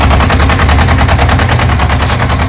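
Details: Yamaha XJ600 Diversion four-cylinder: fast, hard steady rapid knocking while running; clear mechanical knock, source unknown.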